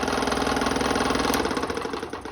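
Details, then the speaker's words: Restored 30-year-old Delta P-20 scroll saw running with a fast, even stroking hum and buzzy rattle each stroke; table vibration, likely because it sits unmounted on cardboard, not bolted down. "all right there's table vibration but it's sitting on top of cardboard it's not mounted down"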